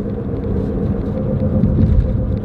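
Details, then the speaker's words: Front-wheel-drive car while driving: deep steady roar that swells with road speed, no clicking; both front wheel bearings worn, no play yet. "that means the front wheel bearings are going out too this is a front wheel drive car pretty expensive job now is that driving around I could tell both front wheel bearings are worn"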